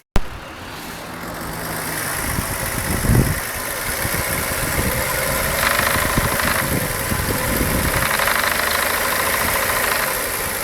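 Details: VW Jetta petrol engine from start-up to 1500–3000 rpm: an uneven light rattle over idle that grows louder with revs, also heard on acceleration and deceleration; caused by worn OEM intake manifold runner shift rod bushings, fixed by replacing the bushings.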